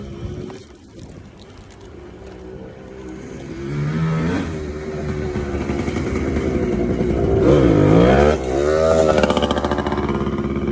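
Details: TC125 two-stroke dirt bike ridden on a cold day after a carb clean and a new fuel line with filter: crisp buzz rising and falling cleanly with throttle, no stumbling or bogging; pulls well, normal running.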